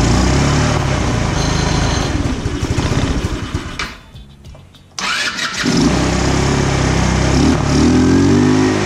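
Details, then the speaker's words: 150cc GY6 scooter after swapping in a new six-pin CDI, which didn't help: fires and runs unevenly, nearly dying around four seconds before catching again; won't hold idle; owner suspects carburetor or out-of-spec valves. "all right so the cdi didn't work um i'm starting to think it's maybe something with the carburetor um or a rough start before it's warmed up is indicative of valves that are out of spec"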